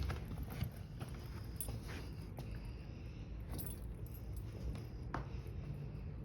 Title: Scratches On My Door & Deadbolt Makes Loud Noise When I Turn The Key